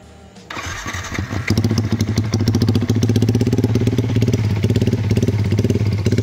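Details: Yamaha MX King bored up to 177cc after first 5000 km, tuned slightly richer, J Maper exhaust: catches quickly after short crank, settles into firm, even single-cylinder beat; starts and runs healthy.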